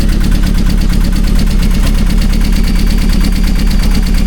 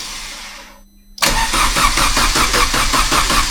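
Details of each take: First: Vauxhall Astra VXR first start after cylinder head rebuild and big turbo install; loud lumpy idle with an uneven, hunting beat, owner suspects a vacuum leak, cause not confirmed. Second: Vauxhall Astra VXR Racing Edition after cylinder-head removal and rebuild for head lift, with bigger turbo, first start attempt: steady starter churn at about two and a half beats a second with even compression pulses, normal cranking before firing.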